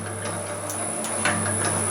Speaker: So I run it at that speed and it's got enough power to crush them. Drop them through.